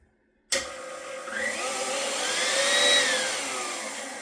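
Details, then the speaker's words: KitchenAid stand mixer after its first-ever gearbox regrease with food-grade grease, previously showing light clicking: a high, steady motor whine with light gear hum, no grinding or labouring; runs with less difficulty, especially at highest speed. "So, I think it sounds a little bit better to me at least. Um, especially at the highest speed. seems like it runs with a little bit less difficulty."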